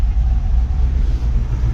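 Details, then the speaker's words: Carbureted engine, after old fuel drained and fresh fuel added: rough idle, heavy uneven rumble, irregular thumps popping back through the carburetor; suspected stuck or burnt valve or bad camshaft, valve covers to be pulled to check rocker motion. "So, hear that coming through the carburetor. Either got a stuck valve or a burnt valve or a bad camshaft."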